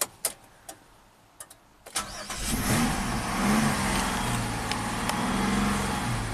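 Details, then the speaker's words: 2007 Chevy Equinox AWD, 35k miles, after replacing a blown fuse and reseating a relay installed 90 degrees out; a few clicks, engine catches at once and settles to an even steady idle, starts and runs normally. "I love it that was awesome one blown fuse and one relay that was installed 90 degrees out the pins fit in but they weren't making good contact with the actual terminals"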